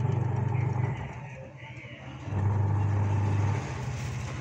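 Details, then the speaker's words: Old-model Whirlpool semi-automatic washing machine (complaint: no wash or spin), running the wash program after wiring repair: low motor hum throbbing about four times a second; motor vibrates because its base has rotted; wash motor coil OK. "ৱাছটো চলাৰ লগে লগে মটৰটোৰ পৰা ভাইব্ৰেশ্যনত copy আছে। মটৰৰ বেছটো যেতিয়া পচি গৈছে, পচি যোৱাৰ লগে লগে ই যেতিয়া ৱাছত খালী মেচিনত ভৰিছে, ৰখাই দিয়াৰ লগে লগে ৰখি দিছে।"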